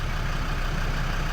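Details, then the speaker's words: Land Rover Defender TD5 diesel, idling a long while with coolant risen from 30 to 60°C after a new coolant temp sensor: steady low idle, even and unhurried with no hunting or knocks. "It's come up from like 30 and yeah, it's been idling, as you can hear, perfectly."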